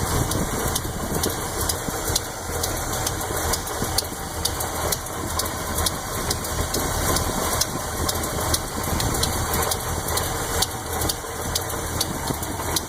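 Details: Chevy 400 V8 with a Lunati Voodoo cam (233/241, .505/.526 lift), Performer RPM heads and Comp roller-tip rockers at idle: sharp lifter tick on the even-side bank, about two a second. It gets louder as rpm drops from 900 to 500. Adjustment was checked twice, and the cause is still unfound.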